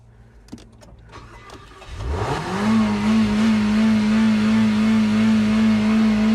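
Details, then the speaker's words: Car revs high and steady right after start-up while held on the brake, as if racing by itself; the stuck throttle turned out to be the floor mat pressing on the gas pedal. "you fire the car up sounds like it's going to go 100 m an hour I'm like what the as you can see I'm on the brake"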